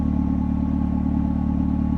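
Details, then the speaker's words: Mercedes SLK R170 that wouldn't start with all warning lights on: after reconnecting the battery, light unit wires unplugged, it starts immediately and idles smoothly with a steady low hum, no misses or knocks; fault traced to light switch. "Lähtiskö käyntiikii? Sehän lähti heti"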